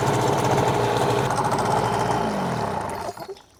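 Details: Hangkai 18 hp two-stroke outboard, brand new, 10-minute break-in run in a water barrel (no load): steady, even burble with soft regular beat and water splashing; idling cleanly, normal.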